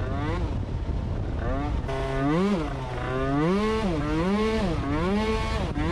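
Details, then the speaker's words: Yamaha scooter with a CVT belt drive and a recent upgrade: revs swoop as the throttle closes and reopens, the pitch hanging before climbing. After speeding up and re-throttling, pickup lags because the transmission does not shift back up enough; it needs readjusting. "kad tu ieskrienies lielākā ātrumā un atlaid ručku un dod vēlreiz virsū, tad ir tāda aiztura baigā. Tā it kā, nu, transmisija neuzslēdzās atpakaļ uz augšu, pietiekami pārnesums nepārslēdzās."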